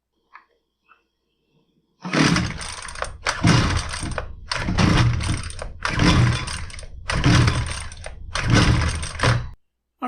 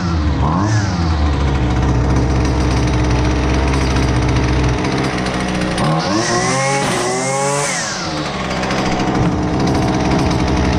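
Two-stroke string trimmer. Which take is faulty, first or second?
first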